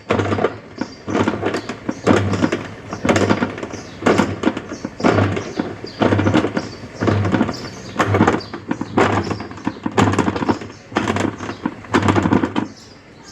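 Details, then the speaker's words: Sharp ES-818X 8.0 kg top-load washer, empty drum with no load: spin and draining are fine, but on each wash agitation stroke, roughly once per second, there is a harsh knocking groan. "Time dia spin okey tak ada masalah. Air boleh buang semua tak ada masalah. Tapi time basuh dia ada bunyi pelik."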